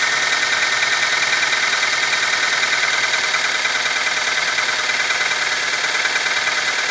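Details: Nissan QG18DE engine at cold idle: light, fairly quick tapping knock over a hissy, thin engine note; knock when cold, cause unclear.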